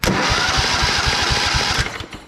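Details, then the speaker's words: Craftsman riding mower, Kohler Command 16.5 hp engine, starter powered by jumping positive to starter post; quick even cranking about eight strong compression pulses a second with no drag, normal cranking speed. "That seems to spin over pretty good."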